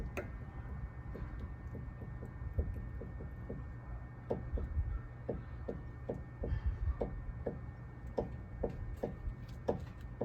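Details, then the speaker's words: 2002 Mazda Tribute, stationary, with the steering rocked side to side and a stethoscope on the linkage: irregular dull clicks and creaks, one or two a second, loudest at the sway bar link's top and bottom joints; worn link. "so I can hear as the the linkage moves left to right that the loudest sound is coming from the joints of the sway bar link at the top joint and also the bottom joint of the SAR link"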